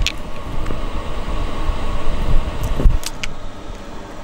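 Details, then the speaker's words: Diesel heater in a DIY van conversion after fitting a new exhaust and fuel filter, with the fuel tank connected directly and the lines possibly holding a little air. Heater blows strong and warm, with soft, even exhaust puffing and no white smoke; it runs normally. "update it's blowing strong it's blowing warm right now it's not that's hot um and the exhaust isn't blasting um white smoke"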